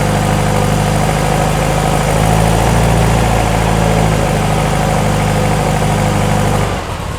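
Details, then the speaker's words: VW-based Porsche 356 Speedster kit car, cold start after heater warming, oil pressure settling back to 40 PSI: steady even low chuff about four beats a second, settled idle, no knocks or misses; normal cold idle. "She's coming down. Back to 40, and this is a cold start."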